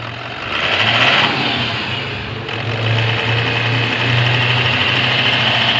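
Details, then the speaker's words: 2017 Toyota Land Cruiser VX200 diesel after repair without overhaul of knocking, low power and oil loss: smooth, steady idle hum and even hiss, with the ticking and knocking gone. "Alhamdulillah normal nih, Pak. Alhamdulillah bisa saya betulin. Ngerteeknya hilang, knockingnya hilang."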